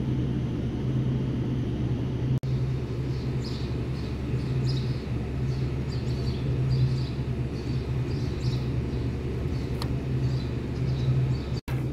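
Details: Toyota Hilux D4D diesel after overhauling the starter motor, with its solenoid contact points cleaned and reshaped, to fix a click-no-start: deep, steady diesel rumble with an even beat and no clicking or stalling. Engine runs normally.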